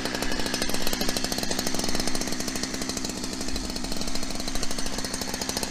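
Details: New Holzfforma 372XP chainsaw with a 28-inch bar, cutting wood: buzzes hard, but revs stay flat and won't climb to high rpm. Sounds held back; owner says it needs carburetor tuning.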